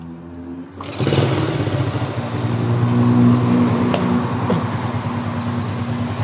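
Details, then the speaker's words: Motorcycle engine after rebuild, installed in frame, modified head, valve clearance adjusted, carburetor cleaned and tuned; catches at once and settles into an even, quick putter with a light blip, smooth and healthy with no knocks: normal start-up and idle. "Nih guys, bisa kalian dengar sendiri ya, suara mesinnya halus."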